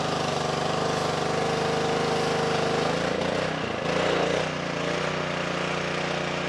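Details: Simpson 2.4 gallon petrol pressure washer after replacing the pump for lost pressure (unloader repair failed), possibly some air still in line: engine runs steady under pump load with a brief dip, then settles; working normally.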